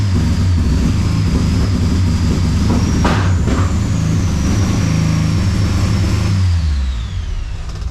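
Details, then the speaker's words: Engine with a 4-tooth, 1-reluctor distributor, fuel smell; uneven, lumpy running with a loping low beat like an old lawnmower, settling lower near the end; not running cleanly, cause unconfirmed. "Sounds like my old Briggs and Stratton lawnmower that I had. Fuck yeah, there's a bit of fuel there, eh?"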